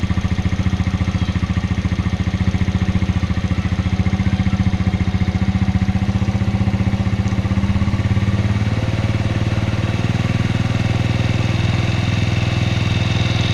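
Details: 2004 Suzuki Shogun 125R; clutch plates, clutch housing, cam chain and its rubber were replaced a year ago. The small single idles with a steady low thrum and a light ticking clatter running through it. An abnormal idle noise whose source can't be pinned down by ear.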